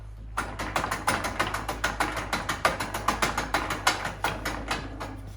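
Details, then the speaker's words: John Deere/Brinly 42-inch lawn sweeper after two seasons, intermittently missing grass: wheel turns but brushes don't spin, sharp clicks about three a second as the pawl skips over a worn, rounded ratchet gear. "Wheel turning, no brushes spinning."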